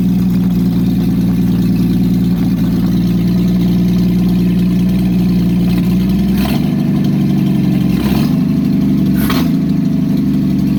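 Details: Engine just fitted with an aftermarket monojet carburetor, unrun for about 3 weeks, exhaust removed: loud, raw, harsh unmuffled idle with three quick throttle blips near the end.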